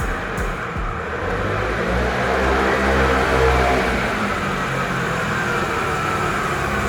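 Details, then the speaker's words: Restored Piaggio Vespa 50 LX two-stroke, first cold start after carburettor adjustment: it starts easily with no throttle, buzzes steadily, then revs smoothly and settles back, running clean and healthy. "Это первый запуск на холодную. Если все хорошо, то буду собирать проводку и так далее. Хорошо завелся, без газа, без ничего."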